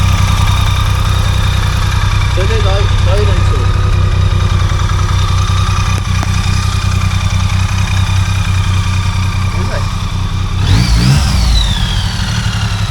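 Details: BMW K75 three-cylinder motorcycle after its stuck starter sprag clutch was freed: a steady, even idle with a low, regular beat and no starter clatter or misses. The engine is running cleanly; the battery is now flat.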